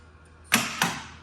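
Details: Gottlieb Spirit pinball machine during restoration, first power-up after fitting fuses, coil test: two crisp clean snaps about a quarter second apart in a quiet room, coils firing sharply; normal solenoid operation.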